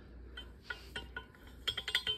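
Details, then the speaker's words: Subaru STI engine rebuild, good connecting rod fitted on the second cylinder's journal of a bent crankshaft: rocking it gives sharp metallic clicks showing excess rod bearing clearance, while on cylinders 1, 3 and 4 it made no noise. "yep you can hear it whereas when it was on these cylinders 1 three and four you couldn't hear any play"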